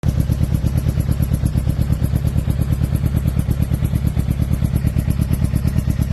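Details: 2006 Suzuki GSX-R600: lumpy, loping exhaust beat at about three pulses a second with a stumbling rhythm, uneven running; owner asks whether it is a misfire or a dead cylinder, cause unconfirmed.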